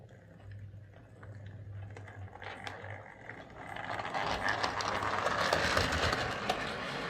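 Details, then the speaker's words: 1970s Flying Scotsman model locomotive run on a new Morley Vector 03 Crawler controller: small motor buzz with busy rattling clatter that swells with speed; sounds much better than before, remaining noise attributed to the poorly made chassis. "sounds so much better it's still noisy but a lot of that is just the chassis these things were not particularly well made back in the 70s"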